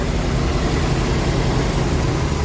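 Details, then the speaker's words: Rolls-Royce Silver Shadow II after 10+ years sitting, twin SU carburettors rebuilt and new fuel pump fitted; after chasing high idle and a sticking carb, a low steady rumble at calm even idle with no surging, idling where it should. "See, that's better. That's where it should be idling."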